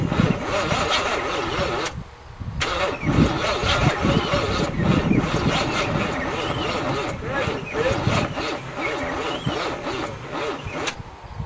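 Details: 1978 Monte Carlo 305 V8 in a 1963 Allis-Chalmers loader, parked 5.5 years, on squirted fuel: uneven cranking, a pause, then it catches and runs roughly; turns freely, not seized as feared.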